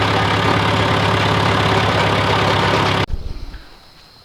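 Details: John Deere 410C backhoe diesel after battery replacement, alternator charging at 13 V: even steady clatter at idle for three seconds, then clean shutdown and wind-down; healthy.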